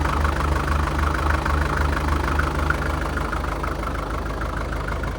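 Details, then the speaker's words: 1947 International Harvester TD-9 gas-start diesel crawler running after magneto rebuild; slow even idle with heavy rhythmic knock about 220 per minute, the normal heavy fuel knock American Bosch injection systems are notorious for. "Running good. You'll notice it has a real heavy fuel knock. That's the American Bosch fuel systems are notorious for that."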